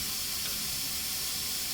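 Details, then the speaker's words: Marvel Series 8 Mark III bandsaw after rebuild (new bearings, clutch pads, computer, belts, wiring): steady sharp air hiss as the tilt button automatically releases the pneumatic brake; normal brake release. "And you can hear the air hissing in the back. That's the brake being released."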